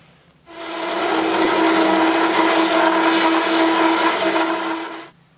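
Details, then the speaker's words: Hole saw cutting in a machine: steady drone with gritty, rasping grind as chips build up in the kerf and stall the saw, with some play through the rubber O-ring mount. "that grinding sound is the chips building up in the cut stalling out the the saw"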